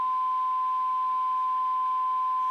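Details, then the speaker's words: 1954 Regentone Auto 99 radiogram alignment with a 470 kHz IF signal generator and AF meter across the speaker, adjusting coils L14–L17: clean, steady test tone, already spot on. "So we're just looking for maximum audio output. That's just across the speaker."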